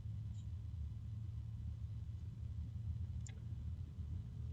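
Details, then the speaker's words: Arctic Liquid Freezer II Black 360 AIO cooler with daisy-chained fans and pump, at the lowest speed: a steady low droning hum with two close tones, low and medium, trading places. Harmonic resonance hum. "And there is a, wow, there is a very low kind of hum from this. I don't know how well you can hear it, but I can hear it pretty well."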